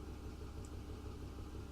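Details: 2008 Ford F-150 5.4L 3-valve V8 flex-fuel at idle, rough idle despite new VCT solenoids, plugs and coils: uneven lumpy beat with one cylinder dropping out, dead miss; bank one reading lean, checking cylinder four.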